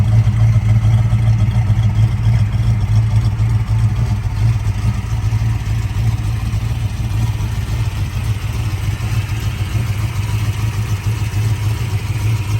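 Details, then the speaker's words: 1966 Shelby GT350, 4-speed, original 289 HiPo rebuilt to a 331 stroker with forged pistons and crank, warm-ish start: deep even V8 idle with light fast ticking from the solid lifters, normal valvetrain noise on a healthy engine. "is still solid lifter engine as you can hear the solid lifters"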